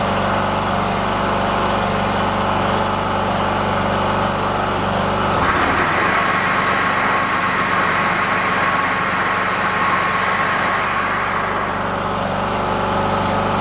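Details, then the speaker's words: Riding lawn tractor said to shut off with a backfire after about 15 minutes at temperature, now run past 15 minutes without that happening. The small engine holds a steady speed with a brief dip midway, then evens out. It runs cleanly with no backfire. "so he said it would run for about 15 minutes get to a certain temperature and shut off and with a backfire uh I have not had that happen it's been past 15 minutes"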